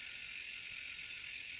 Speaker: what's important to know is that that clicking noise is entirely normal and that is just your hub working exactly the way it should